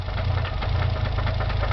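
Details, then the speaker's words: Nissan 300ZX twin turbo at idle: rapid regular knocking in time with firing over a rough low rumble, engine struggling to stay running; owner suspects a bearing, unconfirmed. "could be a bearing. And the car is hesitating to stay on."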